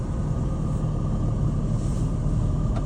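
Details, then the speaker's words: 2021 Renegade Verona 40 VBH motorhome, 57,000 odometer, Allison transmission, started after sitting a while. Smooth, low diesel idle rumble with a steady high beeping low-air warning while the air brakes fill. Normal idle. "You can hear that beeping right now because it hasn't been running for a while, so there's low air as they're filling the air brakes. And that'll shut off in a few seconds."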